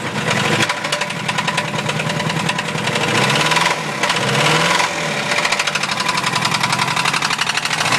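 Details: Mazda B2000 engine revved: hard, loud metallic hammering on every turn, speeding up and growing louder with revs, a badly worn rod bearing; rod knock.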